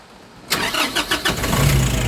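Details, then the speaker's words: 2020 Nissan Urvan NV350 diesel that would not start (P0642, no RPM signal) after fixing a shorted wire at the bumper: short crank, catches and settles into even, steady idle, no check engine light, no DTCs; normal start and idle. "Yun. Allr. Ayos. WS na po. Wala ng check engine. Umaandar na rin siya."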